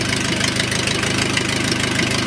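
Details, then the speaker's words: O-84 (4A084) military generator engine converted to fuel injection, warmed up, idle screw fully down: idle set far too low, about 400 rpm and possibly fluctuating, with a slow heavy putter and slightly uneven firing beats. "the attack on verse says 400 rpm kind of fluctuating around but maybe not I've got the idle screw all the way down and the Indians warmed up"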